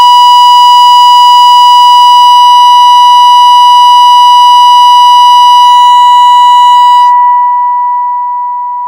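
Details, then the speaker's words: Mectron valve amplifier on bench during power output and distortion measurement, test tone pushed to about ten percent distortion with 2nd–5th harmonics: harsh buzzy edge on steady tone, cleaning up at end; amplifier distortion. "now we're about ten percent distortion right here because we have a second third fourth and a fifth now and this is audibly really distorted"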